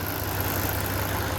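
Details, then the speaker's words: Cabover diesel at idle after the swapped feed and return lines were corrected, both tanks hooked up, and the fuel was primed and bled of air, giving good fuel pressure: an even, low rumble with no misses or stumbles, normal idle. "We got good fuel pressure. I mean, it come right to life. As soon as I started pumping it, it primed right up. Got all the air out of it. So it is fixed. It is good to go."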